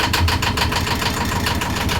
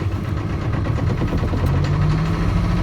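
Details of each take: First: Boat engine just started during winter prep, batteries on and warmed for a few seconds: fast, slightly uneven pulsing idle that sounds like it wants to stumble and needs more throttle; rough idle, cause not confirmed. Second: Boat engine during winter prep, just started and given more throttle: low steady chugging that picks up then holds an even rhythm; runs fine, water heard from the exhaust so cooling system is OK; normal idle.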